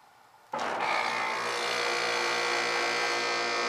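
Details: AC condenser unit, no cooling on a 100-degree day: steady electrical hum and buzz with no fan rush, the fan not moving; failed condenser fan motor.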